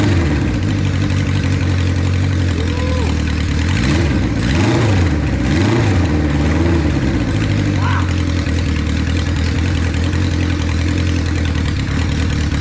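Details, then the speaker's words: 1976 Honda CB550 Four, 10,409 miles, first start after 34 years unused, cold with choke just off: steady, even low idle, smooth beat through loud pipes, no knocks or misses, throttle response immediate; normal idle. "Man, I mean, it sounds good. Those pipes are louder than I like, but I can't deny they sound really good."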